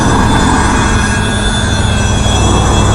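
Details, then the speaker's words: Cheap small electric fan pump of the crankcase evacuation system on a Tahoe, blowing into the exhaust, tested before the engine starts: loud, steady drone with constant high whine and no catching or rattling. It runs normally, pulling good vacuum. "it's just a cheap little fuse ends and then uh pretty loud huh oh yeah that's pulling a good vacuum"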